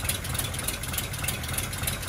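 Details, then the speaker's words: Low, even rumble settling into a steady first idle with no knocks after cranking, on a Daimler limousine unrun since 1990, in neutral in a cold garage. Normal idle, though it may be running off the carb. "Hey, look, it's running. Did I do it? Or is that just running off the carb?"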